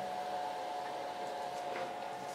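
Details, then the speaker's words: Home-made thermistor/MOSFET fan controller on an IMAX B6 charger: with the inlet uncovered, lots of air comes in and it's cooling down, a steady airy whoosh with even mid-pitched hum; normal fan run. "now you see so the inlet it's free and we are it's a lot of air coming in and the fan it's it's cooling down"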